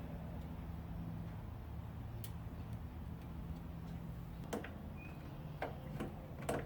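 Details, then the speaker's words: Riding mower stored all winter, battery charged and jumped, blade off: sharp single clicks each key turn, no starter spin. Switches judged good; fault narrowed down to the starter relay/solenoid. "I hear the solenoid but I don't hear the starter so all the switches must be good so now we're down to the solenoid"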